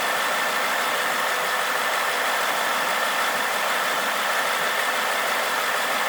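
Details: 2011 Mustang GT 5.0 V8 automatic, Steeda cold air intake, SCT tune, 4.10 gears, Roush mufflers: steady idle with a light, fast ticking over the engine noise, present since day one; cause unknown.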